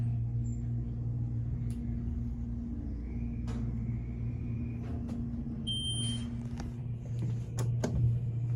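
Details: New Excel hydraulic service elevator (replacing 29-year-old Dover), new hydraulic motor, recorded in cab during ride: steady even low hum with light cab clicks; new hydraulic unit sounds healthy, normal motor running.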